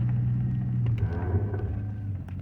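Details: 2005 Chevrolet Silverado at low speed under light braking: deep steady groan and buzz with spongy pedal.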